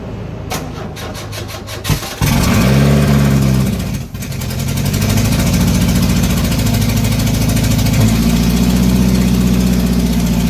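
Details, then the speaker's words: GM 2.2 engine after rebuild: cranks a few seconds, catches, then roars at high steady speed never settling to idle; throttle stuck wide open, cable had fallen off; vacuum leak at EGR tube gasket also found. "watch out something wrong with the throttle throttle stuck full down pedal in there stuck all the way down"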